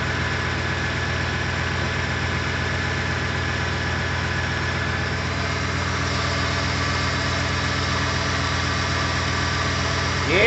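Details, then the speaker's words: Freshly rebuilt, fully updated 2007 Ford 5.4L 3V V8 just after first start, burning off spilled oil on manifolds, fan and intake off; smooth even idle, steady low hum, no knocks, ticks or stumbles; quiet and healthy. "burn off some oil that i spilled on the manifolds down there she sounds good very quiet"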